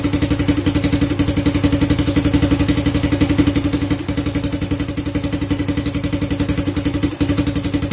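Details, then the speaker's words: Honda Supra Fit (first generation) single-cylinder, warm engine: uneven lumpy idle that stalls and stumbles only when hot, hard to start; ignition parts (spool, CDI, regulator, coil) checked fine, automatic decompressor on the camshaft suspected and inspected next. "Mati dia. Nah, seperti itu dia, berebek-berebek. Kita tes ulang. seperti itu teman-teman, dia pincang-pincang."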